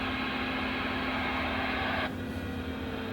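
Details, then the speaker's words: U-Start starter capacitor module (Ioxus, XS Power) in a shallow charge cycle at about 16 A after a 300–400 A load: steady electrical hiss with a fixed buzz that drops away abruptly when charging stops. Noise from the internal electronic control unit. "just shut off again do you hear it pitch change so that's what i was afraid of as the electronic control unit that's inside of this thing is susceptible it makes a little bit of noise"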